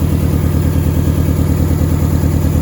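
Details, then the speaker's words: 2005 Subaru Impreza with long crank, misfire codes, past melted harness and a disconnected PCV hose: deep pulsing idle with an occasional lope; relative compression testing shows low compression in two cylinders. "It does have a little lope every once in a while, like a bad coil, but I have a feeling that, you know, I'm gonna do an RC test."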